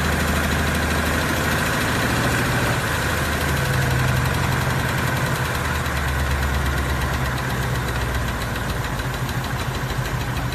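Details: 2018 Ford Mustang V8 at idle: light, fast tick about three per second over the rumble; engine tick, cause suspected but not confirmed.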